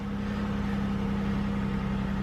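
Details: GM car that had P0300 random misfire, idling after the fuel pressure regulator was replaced and codes cleared, coolant at 88. Smooth, even idle with a steady low hum and no skips.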